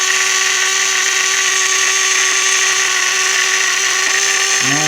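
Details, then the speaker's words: Washing machine drain pump with impeller problem: steady, piercing high whine with hissy buzz, constant pitch; pump running noisily, said to be overpowered, replacement ordered. "Voltando mais aqui pro vídeo, a eletrobomba dela está com muita potência. Então é onde está ocasionando aí todo esse barulho,"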